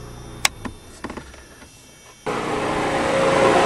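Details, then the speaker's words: 1992 Talon at 229,639 km, one switch running each of two radiator fans: a couple of switch clicks, then a steady airy rush building over a second as the fan spins up and runs evenly; normal radiator fan operation. "this switch does one rad fan you can hear it and that does the other"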